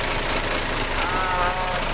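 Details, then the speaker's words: Freshly overhauled diesel engine idling after a successful rebuild: a steady, even clatter with no misses or heavy knocks. The rebuilt engine is running smoothly. "tapos ayan umandar na ah bale nagiging success naman yung ating trabaho"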